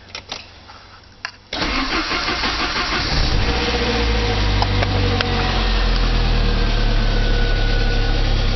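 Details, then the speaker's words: 1985 Saab 900 turbo starting after oil pressure loss, following oil pump and relief valve cleanout: it catches after a short crank into a busy idle with top-end rattle that gradually smooths as oil pressure builds. Startup valvetrain rattle. "hopefully when it starts up the rattling goes away Smooths out to where an engine supposed to sound"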